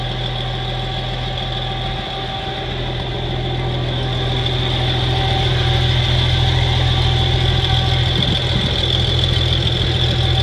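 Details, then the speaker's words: 1963 Farmall 706 gasoline tractor, just bought, after a loose gear was found rolling inside the timing cover: started with a little throttle, it settles to a steady even idle with a smooth low rumble, no knocks, misses or surging. "but Hank it runs good fire it up for you"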